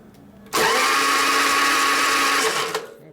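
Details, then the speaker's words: 1999 Harley 80 ci Evo chopper after installing a new ignition module; two seconds of high even electric whine with no firing beats, engine spins over but won't start; no spark found, starter Bendix also suspected, cause unknown. "it's turning okay there's something wrong no spark"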